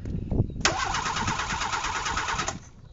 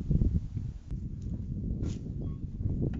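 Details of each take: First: Renault 4 (F4) wreck, starter fed by battery wired directly because thin cables were suspected of passing too little current: sharp click then strong, fast, even cranking for about two seconds; starter now spins the engine normally. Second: Renault 4 wreck restarted for the first time: engine idles with a steady high whistle over it; a serious intake air leak is suspected, not yet located, and the mixture screw was opened 2.5 turns.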